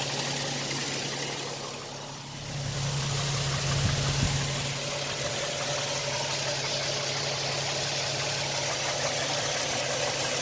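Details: 2007 Toyota Tacoma TRD Sport 4.0 L 1GR-FE V6 with 239,000 miles idling; faint, fairly steady knock about four a second, unchanged since 180,000 miles; owner suspects piston slap.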